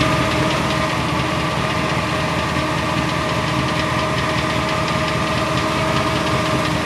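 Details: 2002 Silverado 4WD 8.1 V8 with Allison 1000, new flexplate, converter and bolts under 1000 miles: light ticking two to three a second at idle from the bellhousing, not the block or oil pan; source unknown.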